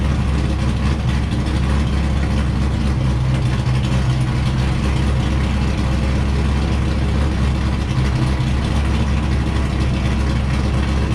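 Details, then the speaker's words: Wrecked C5 Corvette Z06, run in gear with clutch out to check transmission and diff; steady low rumble, no grinding, whine or knocking: drivetrain healthy. "i'm happy to report that test went great there doesn't seem to be any issues that popped up everything's spinning nice and smooth no grinding or binding or any weird noises"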